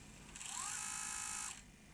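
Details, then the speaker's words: Sony EVS1000E Hi8 video recorder (1989, Sony U-mechanism deck) with front panel fitted; short rough whirring, graunching drive noise caused by a flexi cable obstructing the tape mechanism; moving the cable stopped the noise. "I wonder if we can work out why it's making that noise okay uh I've now got the right way around having moved that flexi cable out the way let's try rewind uh well it's not making the gruning noise"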